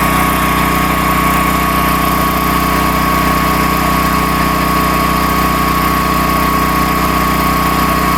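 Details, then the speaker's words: Predator 13,000 W tri-fuel portable generator running on propane, heard just outside an uninsulated shop door: loud but steady drone with even, unchanging beat and no hunting or misfires; normal idle. "And, I mean, it's loud, but it's not terrible."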